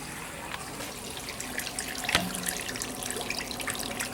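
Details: Fabdec BMT milk tank in relay diagnostic test mode, with a low wash temperature fault: the cold water valve energised gives a steady hiss and trickle of running water, no hammering or sputter, the valve open and flowing properly.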